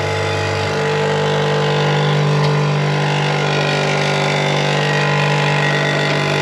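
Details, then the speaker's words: Air-bag suspension compressor on chopped 1940 LS-powered Chevy coupe: steady low hum with uneven buzzy rattle about four a second; once quiet, now noisy, owner suspects something loose at the tank, wants rubber mounts; cause unconfirmed. "I don't know what's going on with it sounds horrible it used to just be nice and quiet now it's SP sound noise going on"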